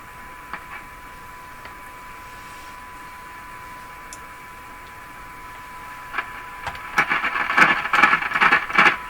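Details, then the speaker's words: Canadian General Electric C403 tube radio during alignment: steady tone broken by scattered crackles and scratchy pops as the tube is wiggled; likely poor contact between the tube's shield sleeve and its contact, probably not the tube pins, intermittent crackling. "This tube has a sleeve on it, and the sleeve is making just a contact here. And I think it's very good. So I think as I wiggle the tube, this contact is changing with the sleeve, and that's what we're really hearing. I don't think it's tube pins."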